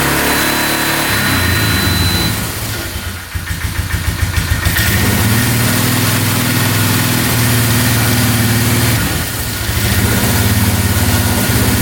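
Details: 2002 Polaris Magnum 325 4x4 ATV, bought not running and needing a carb clean, first start without choke. It catches after a brief stumble, idles steadily and picks up cleanly on throttle with no knocking, with a beeping battery; healthy.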